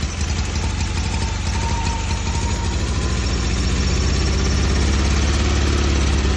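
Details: Newly swapped carbureted engine, running after the fuel line, filter, throttle and exhaust hookup. Lumpy idle with an uneven pulse of about three per second that never settles.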